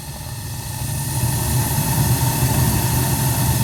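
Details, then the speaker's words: Newly installed replacement gas boiler with three circulator zones, all thermostats calling, first firing after installation: a soft low roar swells over a second, then holds steady and even as the burner lights cleanly; normal burner ignition. "Houston, we have ignition."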